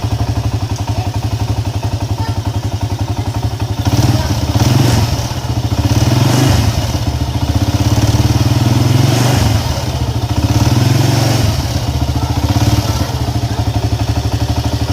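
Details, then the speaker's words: Honda EX5 Dream small motorcycle engine idling with a harsh, loud clatter and knock; suspected loose flywheel (magnet) nut or two loose cam timing sprocket screws, not confirmed. "nat nat magnet ini longgar not magnet ini longgar boleh jadi suara engine bunyi kasar macamnya Oke untuk masalah Seterusnya boleh jadi not auto longgar"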